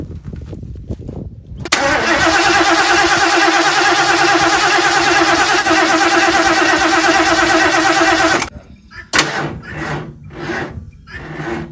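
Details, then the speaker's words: 1977 Mercury Cougar XR-7 after C4 transmission install: starter cranks steadily about seven seconds with even compression beats but never fires; carburetor squirting fuel, later found no spark. "It's dead. I don't know what's happening. I don't know if we lost spark. It sounds like the carburetor's squirting."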